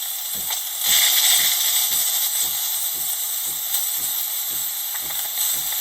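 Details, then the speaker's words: Used bean-to-cup automatic coffee machine, steam wand test: a continuous high airy hiss with a soft pump pulse about four times a second, messy but delivering steadily. Steam is working fine. "Proper making a mess, keep that in mind. But it is working. Yeah, good. So steam is also working fine."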